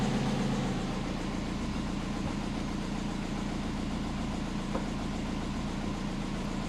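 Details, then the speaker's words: Compound turbo Subaru on a Haltech ECU idling cold at 850 rpm, coolant 30°C, intake air 27°C, after chasing boost and vacuum leaks: steady, even low thrum with no misses or hunting; normal cold idle. "This is where we want to be idling. 850."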